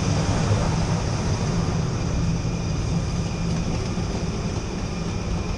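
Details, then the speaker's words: Rooftop commercial exhaust ventilation fan, cover off, wires disconnected, dry grease fitting; loud steady roar and rumble with an uneven faint rattle, a neglected unit needing lubrication and maintenance rather than a specific fault. "There's a Zerk fitting right here, and this thing definitely could use some grease, some lubrication."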